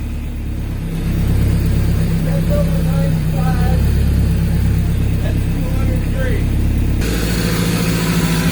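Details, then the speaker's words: Honda K24A2-swapped Fiero GT with twin-disc clutch, first start after plugging in cam and TDC sensors; steady smooth low idle at 78°C, twin-disc clutch noisy, no knocks or ticks; normal idle. "all right on it works i did it yeah twin discs are noisy we did it it worked it's running"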